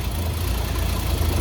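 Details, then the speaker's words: Ex-VicPol Ford XG divisional van after the catalytic converter was cleaned and refitted. Low, uneven idle with irregular exhaust pulsing, not settling smoothly. Still a little smoky leak with a known exhaust manifold leak; cause unconfirmed, owner plans to take it to an exhaust shop. Rough idle. "It's still not idling really well, but still getting a little bit of a smoky leak."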